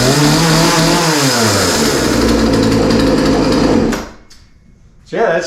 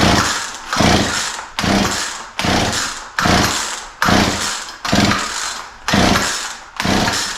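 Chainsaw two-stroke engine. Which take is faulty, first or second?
second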